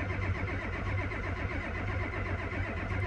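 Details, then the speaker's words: Ford F250 7.3 IDI diesel, cold start: slow steady cranking with no firing; original glow plugs never replaced since 2001, relay and harness suspect, plan eight new glow plugs, relay and harness. "all right so looks like this ford is down uh idis won't start with out eight gold plugs trust me and and go plugs are old i've never replaced them since we've owned this truck since 2001"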